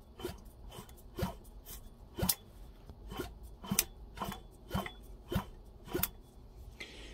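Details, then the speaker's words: Small engine turned over by hand with the spark plug out and the plug wire held next to the block: sharp, crisp snaps about every half second, a good magneto spark confirming good points, condenser and charge coil. "Now I know that this engine has a good set of points and a charge coil is good. I know my points are good and my condenser is good."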